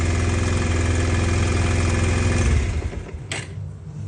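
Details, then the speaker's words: Bajaj Pulsar 125 BS6 with starting trouble, previously ridden on a low battery: steady low thumping for about 2.5 seconds, then stumbles and dies; runs intermittently, key-on signal delayed, traced to faulty ECM. "திடீர்னு வருது, திடீர்னு வர மாட்டேங்குது."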